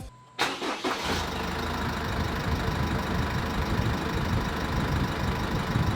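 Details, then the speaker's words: Jeep Wrangler CRD diesel after fan clutch replacement: quick crank, steady even idle with strong fan air rush, no rattle; fan clutch engages, working normally. "You can see that when we're starting the vehicle up, it's really kicking into gear and spinning away. I can feel the air, which is awesome."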